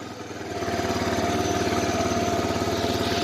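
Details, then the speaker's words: 1985 Honda Big Red 250ES that sat long and hasn't started in a while finally catches after long cranking, with a weak battery and warm starter. It settles into a fast, slightly lumpy, uneven putter, smoking a lot, with the choke partly on because it tends to die. "Finally goes. I'll call this long start. Smoking quite a bit. Choke on a little bit because this thing likes to die."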